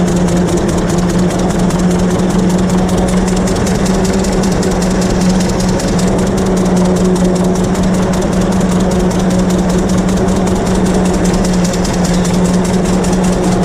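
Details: 1926 Hart-Parr 16-30 tractor, running and driving after its first start in over a decade; steady, even low firing beat with no knocks or misses, healthy and running smoothly.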